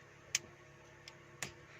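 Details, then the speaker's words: Alternate CNG/petrol switch wired in (blue, yellow and main current wires) and switched on: the gas kit gives sharp, light ticks, three within two seconds, in a quiet room; normal kit power-up. "Switch on किया, on करने के बाद एक तरफ petrol, ये देखें ये हमारी किट आवाज़ देना शुरू कर दी है।"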